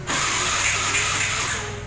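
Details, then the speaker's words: Honda Scoopy i fuel-injected scooter, cranking no-start by electric and kick starter (previously intermittent); spark checked and plug replaced, injector removed and found not spraying fuel. Starter whirs about two seconds and the engine never catches. "อาการก็ประมาณนี้นะครับก็คือไม่ติดทั้งมือและเท้าหรือติดบ้างไม่ติดบ้างบางครั้งนะแต่ตอนนี้"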